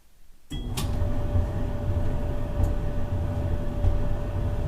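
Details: Maytag 3000 series dryer on 220 V after replacing the bad heating element and cleaning lint, run on normal, regular heat: steady low drum rumble with soft even hum, no knocks or squeals; normal running.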